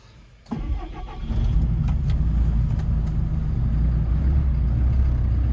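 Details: 4-year-old Doosan DX140LCR-5 excavator starting after a service with new filters, ignition left on first to fill them: short crank, fires straight up and settles to a smooth, even low diesel idle with no stumble.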